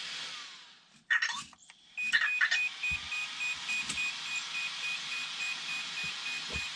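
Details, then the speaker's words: Redcat Kaiju EXT RC truck, Spektrum AVC ESC during a failing calibration: short high beeps repeat at a steady pace over handling clatter. The ESC is powered on and waiting for throttle calibration input. "Okay, now it's waiting for, obviously, a signal. Press and hold the button, power that on. You can hear it's waiting."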